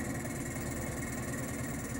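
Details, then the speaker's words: Turbomolecular vacuum pump on a fusor, at 33,000 RPM of its 90,000 RPM target: even, smooth hum with a faint steady high tone, no rattle or grinding; normal spin-up. "But the turbo pump, and the turbo pump is not yet more than 1/3 up to speed. It's only spinning at 33,000 RPM."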